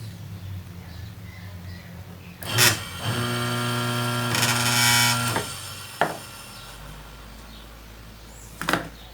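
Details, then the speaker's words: Consul/Brastemp washing-machine motor tested in the machine after swapping the capacitor lead to reverse rotation: hums up to speed for about two seconds with a clean, steady tone, then coasts down quietly; motor works. "ligar percebe que ele girou o contrário desconecto da tomada e você então testou o seu motor lá na máquina de lavar"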